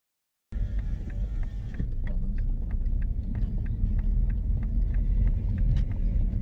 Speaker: You hear that? Tick, tick, tick. I'm assuming not about the indicators.